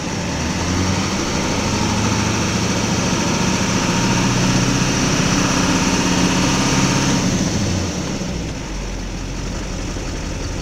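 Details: 2004.5 Duramax LLY diesel truck given a little throttle: uneven clatter with a lumpy pulse about four times a second, then it levels out and idles fine; rough idle, cause not confirmed.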